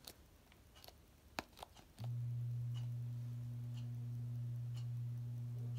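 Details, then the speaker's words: SMC Scandinavian ceiling fan after blades flipped, switched on high: a few light clicks then a steady, loud low bearing hum; earlier grinding has reduced, bearing noise drops once fully up to speed; dimmer no longer works. "once it really does fully speed up bearing noise does go down so I'll be able to sleep at night if I have it on medium"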